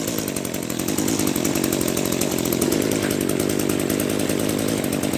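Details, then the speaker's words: Echo SRM-210 trimmer, first run after Zama RB-188 carburetor rebuild: small two-stroke buzzes steadily but slow and soft at idle; idle speed set too low, idle screw on carburetor to be turned in to raise it. "now I'm not sure if you noticed but my machine is running a little bit kind of funny because it's running the the idle kind of sounds like a little bit too low it's idling a little bit too low"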